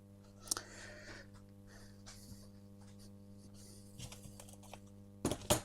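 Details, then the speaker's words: Columbia valve amplifier with bias tremolo: constant low hum near 94–100 Hz with buzzy overtones and clicks, rectified hum on 50 Hz mains; traced to poorly grounded filter capacitor. "So on the F&T plot, we've got a hum at 94 hertz. So that's rectified hum. So main's frequency is um 50 Hz."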